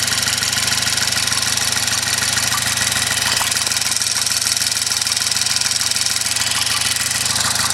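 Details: Car engine at idle with a quick, very even ticking of about three per second over a steady idle; cause undetermined. Engine ticking at idle.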